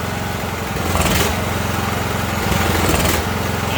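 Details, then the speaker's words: Ariens riding mower with 20 hp Briggs & Stratton Intek, air filter removed: engine surges and sags every few seconds and falters while spark stays present; brake cleaner in the intake steadies it, so fuel starvation. "still seeing fire the reason it's dying out because the engine is surging and going down so we had spark all the way to the end i shot that brake cleaner into the air cleaner there and you heard it was straighten it back up so we know there's a fuel problem"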